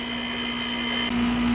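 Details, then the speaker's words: Old Goodman central heat pump outdoor unit, due to be replaced by inverter ductless units, in an earlier recording while running: loud, steady hum with a strong low tone that jumps louder partway through; horribly, excessively noisy, cause unknown. "Okay, so that was an inserted clip, and that's what it sounded like. It was horrible."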